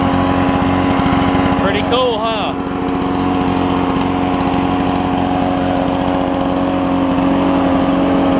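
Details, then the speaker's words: Toro push mower with a two-stroke Suzuki engine after the carburetor was cleaned: a crisp, even buzz at a steady pitch, a short dip, then back to a clean fast idle, and it idles down. This is normal running. "let me get it out and we'll Crank It Up So the truck can hear this thing run it sounds pretty cool"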